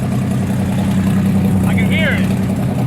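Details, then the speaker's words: Rotsun race car at 24 Hours of Lemons, backfiring out of the exhaust on decel and running rough on acceleration: deep, steady drone with a raw, loud exhaust edge under load; exhaust leak because the wastegate broke off the exhaust. "it just started backfiring out of the exhaust on diesel and now it's running a little rough on acceleration oh yo the was gate broke"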